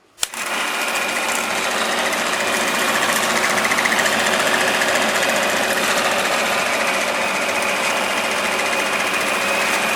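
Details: 1946 Victor 40B projector after restoring the gummed-up mechanism, running threaded silent film with the amplifier not yet repaired: steady, even rapid clatter from the film mechanism with no hitches, scraping or slowing. It is running quite well.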